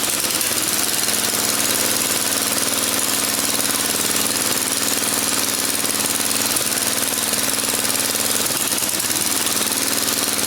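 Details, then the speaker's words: Small engine just swapped into an Ariens machine, new fuel tank installed, first run on the stand: runs smooth for a few seconds then stumbles and catches; owner suspects a fuel issue, possibly the carburetor. "oh you can hear it uh it runs smooth for a few seconds then it stumbles so I'm thinking I have a fuel issue going on"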